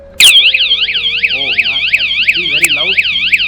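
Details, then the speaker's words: Motorcycle anti-theft alarm, armed by remote and triggered: a very loud, piercing siren sweeps up and down about three times a second, steady and unbroken, meant to run 30 seconds. Alarm siren sounding as designed. "That is very, very loud. My ears are already ringing."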